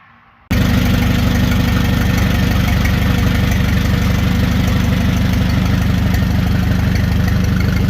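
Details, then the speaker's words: Ford 861 tractor after fitting a reproduction factory-style muffler on a 2-inch exhaust elbow: quick start, then a deep, steady, even beat with no knocks or rattles. Normal running. "I'll add In that clip at the end here of it uh running so you can hear how it sounds I think it sounds pretty nice"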